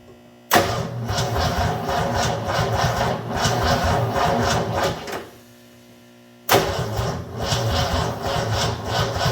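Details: 1984 Ford F250 Bullnose with 460 engine, checking for spark, poor connection: two bursts of sluggish, uneven slow cranking with a pause between; engine never fires. Cause suspected, not confirmed.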